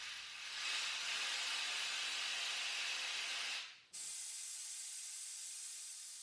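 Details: Handy Industries Standard 1200 air-powered motorcycle scissor lift lowered by foot pedal after lifting off the safety catch: steady loud hiss of venting air for about four seconds, cuts and restarts; normal air release.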